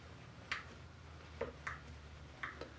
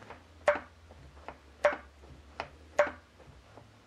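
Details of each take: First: Homemade high-pressure check valve on a grease-gun hydraulic pump (about 1,700 PSI). Faint metallic ticks about every half second with each pump stroke as the check ball unseats and reseats but doesn't hold pressure: check ball not sealing. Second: Homemade high-pressure hydraulic check valve on grease-gun pump reaching about 1,700 PSI, piston bottomed out in cylinder: sharp evenly spaced clicks about one a second per pump stroke; valve seating and holding pressure normally.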